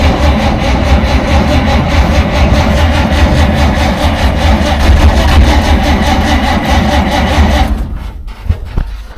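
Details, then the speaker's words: 1947 Dodge, carburettor engine reluctant to start after fuel supply problems; choke linkage faulty with butterfly stuck: even starter cranking about 140 beats a minute that never catches, then drops away; flooded engine cranks but won't start. "but the main thing is it should have started it was trying to start but it sounded identical to when we were stuck in the pub car pot with the uh chap from the AA"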